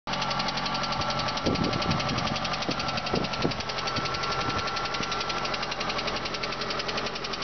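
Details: VAZ 2112 16-valve engine running with a fast, fairly steady knock about three or four a second riding over it; knock inside the engine, cause not pinned down.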